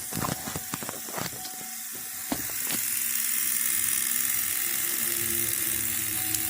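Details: 2002 Chevy Monte Carlo, no crank no start: rapid uneven clicking under the hood then steady buzzing whirr without cranking; injectors seen firing erratically, bad ground suspected, 3x vs 18x crank sensor confusion noted.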